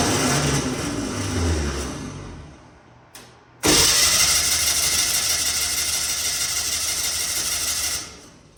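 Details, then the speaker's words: 1964 VW Beetle first start in a very long time, carburetor empty; brief crank then high even whirring spin with no firing, the old 6-volt starter with a 12-volt solenoid freewheeling without engaging. "that starter is a conglomerate mess of a 6vt starter with a 12vt solenoid it's all really old"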